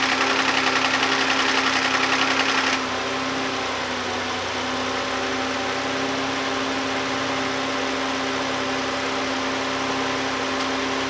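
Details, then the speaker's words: 2011 Hyundai Santa Fe 3.5L V6 after oil pressure switch repair: steady idle with fast, even ticking louder than it should be; lifter or injector noise suspected, cause not pinned down. "You can still really hear the lifters a lot, or it's maybe the injectors, but that sounds way louder than it's supposed to, I'm pretty sure."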